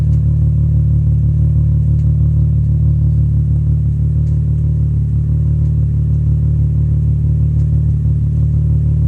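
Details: VW VR6 engine at idle: deep steady sound with a faint uneven pulse about three beats a second, a slight rough idle.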